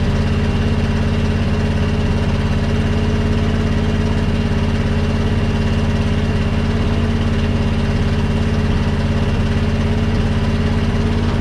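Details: 1976 International wrecker, 345 or 392 engine idling: faint steady hydraulic pump whine over even engine rumble, bed not responding; fault not yet found.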